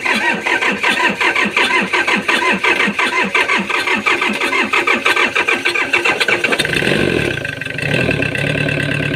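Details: Komatsu diesel engine with suspected lost compression: long, uneven cranking at just over one beat a second for six seconds before it fires and settles into a rough idle. Hard starting; cause suspected, not confirmed.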